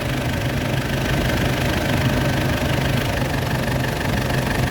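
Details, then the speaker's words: 2004 Ford Ranger diesel at idle after AC system overhaul with new compressor and evaporator, replacing a leaking evaporator that lost compressor oil: deep steady low throb, no rattles; AC compressor cycling on and off normally. "ตัดนะคะคอมแอร์ตัดต่อปกตินะคะทำงานค่ะ"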